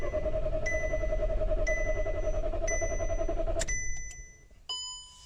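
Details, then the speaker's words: 2014 Seat that bucks and loses power when warm, now not starting: starter spins the engine evenly at about three and a half turns per second but it never fires, then cuts out; crank no start, ECU confirmed powered. "شفنا إنه إحنا السيارة الماكينة بتدور بس ما بتشتغل السيارة."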